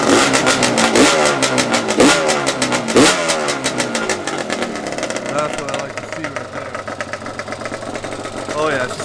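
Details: Yamaha Banshee 350 two-stroke first start after rebuild with new clutch, water pump, head domes and resealed gearbox, ported cylinders, radiator not yet fitted: crisp blips settling to steady crackling idle; normal running.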